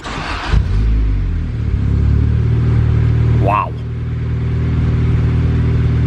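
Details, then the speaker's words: Honda Civic with eBay turbo kit, newly welded O2 sensor bung, wideband, and a freshly burned base map: it catches after a brief crank and settles into a steady, even idle. It starts normally, like factory. "thing started like Factory how close are we here no freaking way look at that guys almost perfect"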